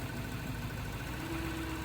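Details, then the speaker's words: 2012 Lexus LS460 at a police impound auction, started right up with a jump box: quiet, smooth idle with even low rumble, no ticks or stumbles; normal idle. "Jump box hooked up, and she started right up with a jump."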